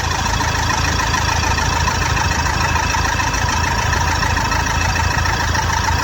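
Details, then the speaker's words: Toyota Fortuner diesel after work on all four injectors, having previously misfired when warm: steady, even idle with a regular beat, no missed pulses, all cylinders firing cleanly. "बंद कर गाड़ी start कर दे सकते बरोबर है एकदम ऐसा भी मैंने इस निकाला पूरा मिंग कर था गाड़ी अभी एकदम परफेक्ट है"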